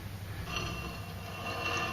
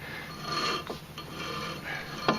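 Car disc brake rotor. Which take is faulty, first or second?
first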